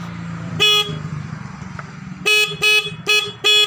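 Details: Suzuki Satria FU motorcycle horn, previously silent, after its adjustment bolt was set: five short, loud, clear blasts with steady bright tone over quiet street noise; horn now sounding properly.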